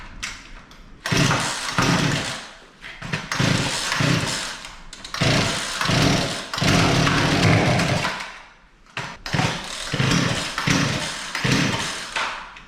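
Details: Poulan Pro P3416 34cc 16-inch chainsaw, recovered from an abandoned building, new spark plug fitted: catches and revs in uneven surges, bogging between bursts; seems to get too much fuel and choke out, so the high-speed screw is adjusted.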